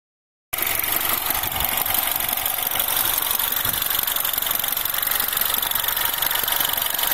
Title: R56 Mini - Warmed Up - Timing Chain Noise